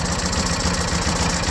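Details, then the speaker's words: Old Kawasaki-powered Coleman Powermate PM900 generator, sat exposed outside 10 years, extreme cold start in cold windy weather: fast even single-cylinder putter holding steady at idle, choke not fully open; engine running after cold start. "yeah you can hear it it's running but I got cut it off"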